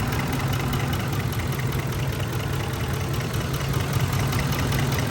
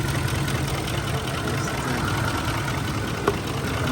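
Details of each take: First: Ford F-150 5.4L V8 misfire on cylinder 8 (bank two) at idle: a low, uneven, loping beat; the truck shook, lost power and smelled of raw fuel at the exhaust, and a wrong 10 mm bolt was found at the coil. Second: Ford F-150 with a 5.4L V8, on the road after repair of a cylinder 8 misfire (shaking, power loss, raw fuel smell) by replacing ignition coil 8. Smooth, even V8 idle with no stumble or skipped beats.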